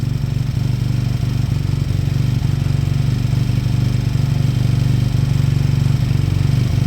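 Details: Beaten-up old Lexmoto motorcycle, many parts missing, idling after revival; even single-cylinder thump about four beats a second, no knocks or rattles. Fuel then turned off, engine judged great, needing only new oil and a small service. Normal idle.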